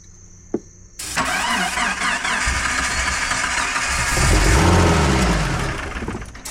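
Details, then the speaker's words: 1988 Jeep Comanche Chief, sitting 10 years, fuel pump priming: engine cranks and briefly catches, revs swelling and sagging unevenly without settling to idle; suspected not getting fuel, unconfirmed. "Yeah, she's not getting fuel. All right. She wants to run though."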